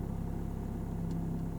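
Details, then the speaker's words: Learner driver moving off: gas held at a coin's thickness for a lively hum, clutch raised a centimetre at a time; steady low idle hum sags slightly in pitch as the clutch bites and the car pulls, normal engine note at biting point. "and then I hear the engine now change yeah and you'll feel a little pull yeah"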